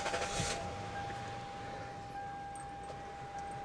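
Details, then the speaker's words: 2002 Lexus LS430 V8 at 225,000 miles, first start after replacing both valve cover gaskets for a smoking leak: low, soft, steady idle, faint constant tone, no misses or ticking, quieter than a Mercedes; normal idle. "for 225,000 Miles engine sounds amazing doesn't it listen to it that's quieter than a Mercedes engine"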